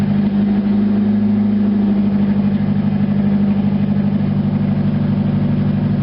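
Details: Car idling through a newly installed Dual ISR exhaust pipe: smooth even idle with a steady deep exhaust drone, no knocks or misses. Normal healthy idle.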